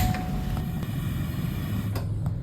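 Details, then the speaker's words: Gas stove after replacing a holed, warped burner with a new brass burner: smooth even low roar with a few handling clicks, no whistling or popping; burning normally again. "akhirnya kembali normal lagi deh komporku"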